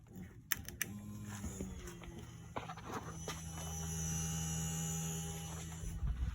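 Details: 2007 Mercedes-Benz GL450 crank no-start, fuel pump run directly by jumping to ground with a pressure gauge fitted, reaching 50 psi: steady low electric hum after a click; normal fuel pump, ECM module or relay suspected dead.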